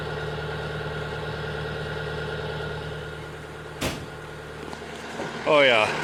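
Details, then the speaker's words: CAT 906M compact wheel loader diesel, nearly 12,000 hours, cold idle at about 60°F after injector replacement and trim code update: steady, even idle heard from the cab with no stumble; previously choppy and rough when cold. "that runs a lot smoother now in the morning. Can hear the difference in the cab right away."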